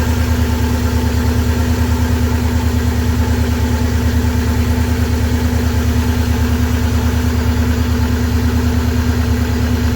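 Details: 23-year-old Subaru boxer idling after water pump replacement while checking for coolant leaks: low, even idle thrum about three pulses a second, steady with no ticks or misfires; healthy idle.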